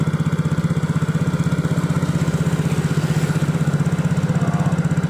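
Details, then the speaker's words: Yamaha Mio J scooter idling after the loose spark plug was tightened: an even, steady putter at about four beats a second with no tapping or knock. The clatter is gone and the engine is back to a normal idle. "Nah sepertinya Guys kita akan Nyalakan dulu nah dan suara Cloud roknya sudah hilang guys ini mesin sudah kembali normal adem"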